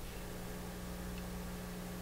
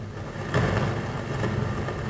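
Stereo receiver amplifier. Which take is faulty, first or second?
second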